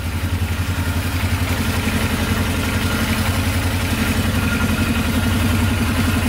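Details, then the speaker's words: Polaris Sportsman 500 4x4 ATV, first start after fixing its no-spark problem. A steady, even idle thump around three and a half pulses a second, with no knocks or misses; the single runs smoothly. "that is amazing it's idling perfectly no knocking at all sounds really good"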